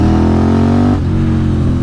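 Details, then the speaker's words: KTM 950 SMR after carb sync and rejetting (175 front/180 rear mains, 45 pilots, fuel screw 2.75 turns, needle 4th from top); clean rising engine note under hard acceleration, even drop off throttle; runs strong and smooth, maybe slightly lean on deceleration. "sounds [Music] great I don't know if I'm just riding it differently than usual cuz I want to test it but yes seems Seems great"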